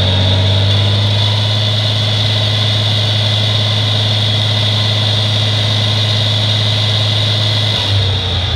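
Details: 1963 Farmall 706 gas tractor, just bought, runs after a loose gear was found inside the timing cover: deep even idle with a steady low drone, no misses or knocks. Normal idle.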